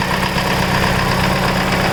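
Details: Mitsubishi Evo 8 after full head rebuild (new GSC zero-tick lifters, springs, retainers, valves, cut seats, seals, resurfaced), Mobil 1 15W-50 fresh oil: quick light valvetrain ticking over steady idle, following engine speed.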